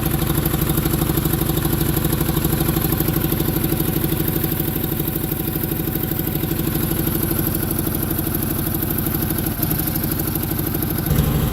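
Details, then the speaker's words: Onan generator, fired right up on battery strapped to solenoid: lopsided chuffing beat about three pulses a second with puffing clatter; far cylinder not firing and major exhaust leak at the intake manifold gasket, needs gaskets. "the far cylinder is not firing this thing needs some gaskets big-time I got major exhaust leak at the intake manifold"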